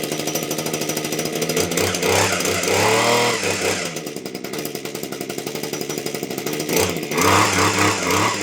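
A buzzy two-stroke note climbs and falls cleanly as the throttle is blipped, with no stumbling or misfires. The trimmer engine runs healthily.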